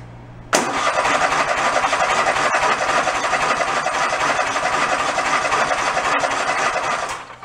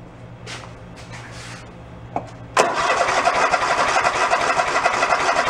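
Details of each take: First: Toro zero-turn mower sat about 10 years, after carburettor float and fuel-delivery checks: fires instantly and settles into a steady, even mid-pitched run with no misses or knocks; running normally. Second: Toro zero-turn mower sitting ten years, three-quarter tank of fuel: after a quiet spell the starter cranks steadily about four beats a second but the engine never catches; fuel not reaching carb, shutoff suspected.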